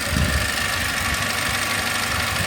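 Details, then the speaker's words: Mercedes SLK 200 after a timing chain change: short, steady idle with a smooth, even hum and no ticking or rattle; the engine sounds healthy. "Hey, all looking good. Marvellous."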